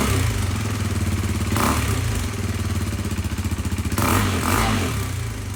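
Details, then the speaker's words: KTM RC 390 single after a DIY valve adjustment, mic muffled in sweatshirt; even idle thump with two quick clean revs rising and dropping back smoothly, no smoke: runs fine. "no smoke it uh starts easier rev's fine idle's fine no more smoke I'm happy with it"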